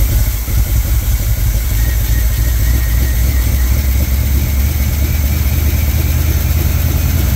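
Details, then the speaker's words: Chevy squarebody truck parked 19 years, first run after timing set: deep V8 idle rumble with a slightly lumpy beat; a little blue exhaust smoke, owner thinks from sitting so long. Rough running. "no smoke out of the exhaust nothing funny a little blue but I think from sitting for so long"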